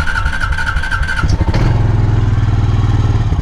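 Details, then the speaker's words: 2003 Honda Rancher 350 ATV, just over 8,000 miles and 1,395 hours, rough life, not started in a long time; starter crank, catches into a steady even thump with clean revs, no knocks or misses, healthy. "this thing hasn't started in a long time either and uh it runs good so uh I like these things good machines"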